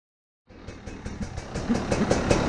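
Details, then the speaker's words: 2020 KTM 300 XCW TPI after replacing crankcase pressure sensor, warming up without throttle on a 65-degree day, no cold start: fires right up into a steady, popping two-stroke idle that firms up as it warms; healthy. "So you're supposed to let this thing warm up without touching the throttle at all. On really cold mornings, you're supposed to pull the cold start, but I don't have to do that because it's a nice 65-degree day. So we're just going to let it get up to operating temp."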